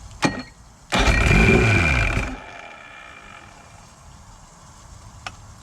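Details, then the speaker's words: 1982 Chrysler 100hp two-stroke outboard on a Glasstream boat, sat about 6 years, run on premix fuel from an auxiliary source: quiet, then fires and roars up briefly before settling; clean normal start, hot water then flowing out. "Not seeing any water flow out of it, but it sounds good. Oh, there she goes. Yep, hot water coming out of there."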